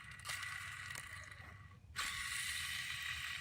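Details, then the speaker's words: Ford Fox Body 302 with transmission removed: dry, gritty rasp with a faint ratcheting edge as the crusty, worn pilot bearing is spun by hand; it caused a squeak under the car when releasing the clutch, and will be replaced. "You should not be able to hear noise while that's spinning. So that's something was squeaking under the car when I let off the clutch."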